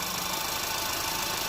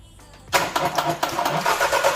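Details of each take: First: 2010 Audi A3 Cabrio 1.2 TFSI (CBZ), 99,640 km, just after a timing chain replacement, running with fresh oil poured over the chain: an even, steady idle with a bright top end and no knock or rattle. Normal idle, smooth running. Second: Audi A3 Cabrio 1.2 TFSI (CBZ engine), fully cold start after sitting several hours: engine cranks and catches with a loud, harsh metallic timing chain rattle for a few seconds before settling to idle; chain replacement follows.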